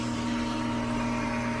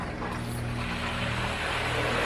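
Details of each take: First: Pool pump after repriming, run 30–40 seconds with no visible air being drawn in and air purged from the piping: smooth, steady motor hum at constant pitch, no gurgling or sputter; normal running, fully primed. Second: Pool pump restarted at speed 4 after refilling the pump pot, valve opened: motor hum rises and settles evenly but no water flows back in; pump running dry after losing prime.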